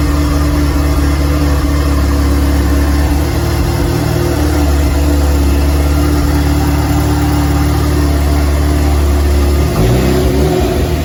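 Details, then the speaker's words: DF Goblin project car, first start with no exhaust fitted: a loud, raw, steady idle with a deep even beat and no misses. Normal idle; the loudness is only from the open exhaust. "i didn't have the exhaust on it which was hilarious because i didn't realize how loud it was gonna be but anyways uh first start video i'll share that right now"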